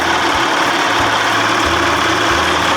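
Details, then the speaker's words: 1979 Evinrude 55 hp outboard, warm: idles with a steady, even burble and no misses; runs much better and settings look right. "she sounds pretty good compared to the way it was running the other day all my settings look right on the money"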